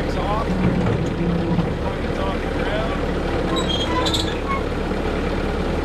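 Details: Bobcat S185 skid steer diesel after adjusting the control bracket: steady, even low rumble at idle with no surging or knocking; normal idle.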